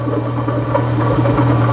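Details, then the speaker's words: Renault Clio 182, about 139,000 miles, hesitating, suspected misfire and alternator not charging; idle with a deep, uneven rattling/phasing churn from the engine that sounded unhealthy, cause unconfirmed. "I'm not just meant to move that's the the Deep phasing noise you can hear if I turn that off so that it doesn't blow itself up oh that sounded not healthy"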